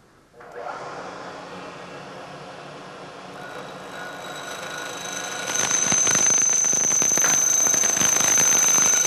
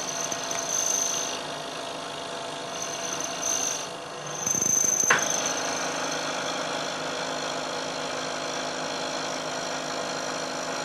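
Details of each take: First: Milling machine cutting a long, thin part clamped in the vise: cut starts fairly clean, then a shrill squeal grows louder toward the end where the part is cantilevered out of the jaws; chatter from overhang vibration. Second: Milling cut of roughly equal depth to a previous cut, using a damped laminated plate whose friction suppresses oscillation: a steady even cutting hiss with faint high tone and no chatter, much quieter, with better surface finish.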